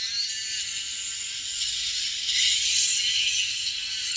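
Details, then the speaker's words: Marshall Stanmore II speaker repair after rodents chewed the speaker wires, voice coil wire, flex cable, aux and Bluetooth antenna. Music plays thin and tinny: left and right treble work, but the midrange and subwoofer give no output. "ชื่อเสียงเสียงแหลมนะครับซ้ายขวาดังนะครับแต่เสียงกลางกับsuberไม่ดัง"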